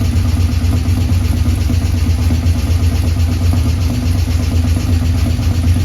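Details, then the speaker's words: 1984 Ford F150 V8 first start after months with the underhood harness out and being re-tucked, fuel system primed: rough, uneven idle with irregular popping pulses; unexplained noise, plug 8 slightly dirtier, misfire suspected, not confirmed. "It fired up there. Got a wild noise coming over here. I don't know what that noise was."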